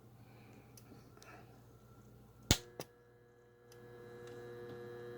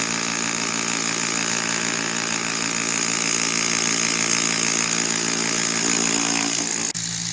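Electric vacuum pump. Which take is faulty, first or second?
first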